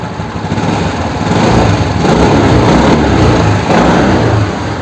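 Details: Suzuki Access 125 scooter engine runs steady with an even, unbroken beat and a light rise in revs, nothing knocking or grinding; sounds healthy, normal running.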